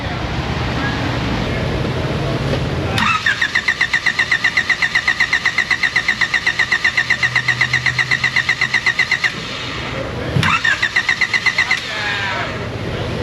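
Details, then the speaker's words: Honda Del Sol that used to start occasionally, after a distributor swap on a hunch and an earlier fix for a poorly grounded relay: the starter cranks evenly about four times a second for six seconds, then briefly again, but it never fires. Crank, no start. "Doesn't start at all. Now, it used to start once in a while. Uh I can't get it to start at all no matter what I do."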